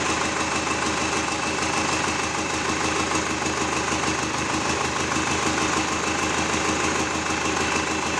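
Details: GAZ 3309 truck with D-245 diesel engine, started after repair: steady even diesel clatter at idle, no misses or heavy knocks, smooth consistent beat; normal diesel idle.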